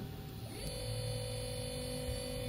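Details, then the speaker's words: CNC router servo motor on T3D-series driver (HL-T3D-L20A-RABF), first-time jog test at 3000 RPM on a tabletop; quiet steady hum with thin even whine after brief spin-up, no vibration, wobble or rattle; very stable, very quiet normal running. "Não treme, não tem nada de vibração. É muito, muito estável, tá? 3.000 RPMs. Muito estável, muito silencioso, tá?"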